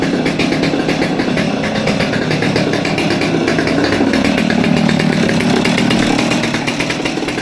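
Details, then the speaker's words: Old Stihl MS200T top-handle two-stroke chainsaw that idled fine but wouldn't rev, after teardown and fuel line replacement (suspected cause): strong, steady buzz holding its revs without bogging or cutting out; running clean. "just like that saw is put back together cleaned up a bit hopefully it runs better I think that fuel line was probably our issue"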